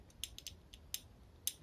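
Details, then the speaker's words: Idler pulley for a Wheelhorse Raider 9 drive belt: the new replacement pulley spins but has slight bearing play, giving light, sharp, uneven metallic clicks as it is rocked; bearing play click in a new part. "I mean, it spins all right, but there's a little bit of movement in the bearing,"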